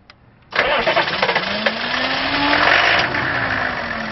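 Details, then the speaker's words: Hot restart of the TurboWeasel diesel truck after driving 5 miles with a newly fitted PMD: it died while coasting in a parking lot, and the starter churns a couple of seconds before it catches into a rough idle. Not overheating, charging weakly; cause unknown. "Drove 5 miles to a Subway sandwich shop, coasting in the parking lot, and just dies. No idea what's going on. Crank her up!"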